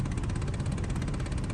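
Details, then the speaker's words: 16-year-old Dodge Dakota with 127,000 miles: rapid clicking with a fan hum behind the dash for about 15 seconds when the AC setting is changed, mostly at startup, then it stops; the selector setting is blamed. "Like it just stopped, but it took about a good 15 seconds of this sound. Not a good sound to have, but it does go away."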